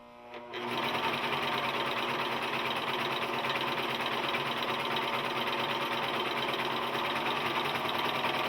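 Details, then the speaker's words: New Singer 14J250 Stylist 4-thread serger running while serging medium denim: fast steady clatter about three and a half strokes per second with an extra noise; knife ruled out, noise from the mechanism, possibly needing break-in or grease. "so evidently the knife isn't the thing making the noise good but you still got this mechanism here"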